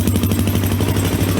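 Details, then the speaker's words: Single-cylinder four-stroke bike, Suzuki DRZ 400 type, with FCR carburetor at idle: steady low thump with quick metallic ting-ting from the FCR, loud because idle air-fuel mixture and idle speed are not adjusted. "one so maybe you heard the kind of ding ding ding ding ding which is actually coming from the fcr"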